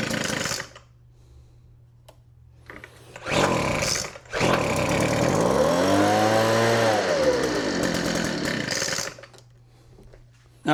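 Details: Weed Eater FB25 25cc two-stroke blower with new primer bulb, plug and hoses, started on choke: it catches after a couple of rope pulls and holds a steady, even buzz. Healthy.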